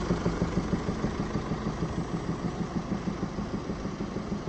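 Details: Mercedes E-Class 2017 OM654 diesel idling: steady fast ticking knock from the top end due to rocker arms worn against the camshaft; new rocker arms, hydraulic lifters, gaskets and injector copper washers supplied for the repair.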